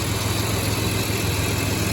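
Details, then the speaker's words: 2006 Chevy Equinox just after replacing cracked spark plugs, engine cover back on: smooth even idle, steady hum, no misses; normal idle. "Well, it already sounds happier. I got the engine cover back on, and it's running how it should be."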